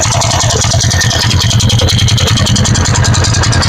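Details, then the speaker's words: TVS Ntorq scooter at idle: coarse rattling rumble pulsing about three times a second from the engine side, caused by a nut that had worked loose, removable by hand. "നമുക്ക് ഈ വണ്ടിയുടെ നമുക്ക് ഇതിന്റെ net loose ആയിട്ടുണ്ട് ഈ ഒരു നെട്ടിന്റെ പ്രശ്നമാണ് ഈ ഒരു സൗണ്ട് വരുന്നത്"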